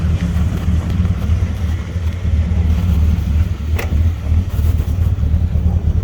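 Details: Ford EB Falcon manual six-cylinder, cold start after sitting over a week, slow to start, black smoke, leads checked and sparking, before throttle body/actuator cleaning: low idle stumbling and wavering; rough idle, cause not pinned down.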